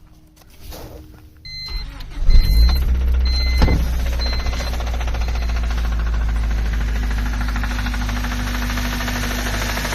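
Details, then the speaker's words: 1997 Honda Civic hatchback D16Y7 SOHC non-VTEC starting and idling with deep regular bottom-end rod knock, began after wide-open throttle with extremely low oil; rod bearings to be replaced. "1997 Honda Civic has a rod knock."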